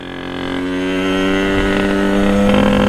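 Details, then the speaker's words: Sherco 50 supermoto with 77cc Metrakit two-stroke, riding: buzz climbs, then hangs and wavers in the 5,500–7,500 rpm range before pulling on; mid-range flat spot. "yeah right there just doesn't like that that spot it'll get over it watch it's that six sixty five hundred to seventy five hundred range"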